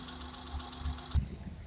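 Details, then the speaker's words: Hyundai Eon after ignition and spark plug test with spark tester: quiet steady even idle hum, no stumble; ignition system and spark plug fine, normal idle. "so it came back to normal so that means there's no problem on that ignition system and the spark plug is actually fine"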